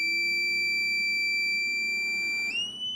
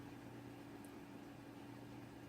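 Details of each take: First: Newly built desktop PC at first power-on: a loud steady high-pitched beep holds about two and a half seconds, rises slightly, then cuts off; the cause is unknown. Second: Newly built desktop PC running Windows 8 with an older NVidia Quadro card: soft, steady fan hum with a faint low drone and no ticking, rattling or surging; very quiet, normal running.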